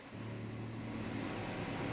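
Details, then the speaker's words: 2007 Nissan Primera P12, 170,000 km, idling: after the power steering fluid change the steering went completely silent. Steady, even idle hum with no whine or howl as the wheel turns. Normal power steering. "и пока я ехал домой я забыл о том с какой проблемой я к нему приехал то есть руль вообще бесшумный стал"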